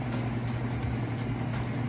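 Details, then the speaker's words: Whirlpool Estate top-load washer at end of wash cycle, first spin before rinse: steady low hum and even whirr, fast, smooth and balanced with only a touch of vibration. "so it's at the end of the wash cycle it's its first spin it's been a nice and fast smooth and balanced"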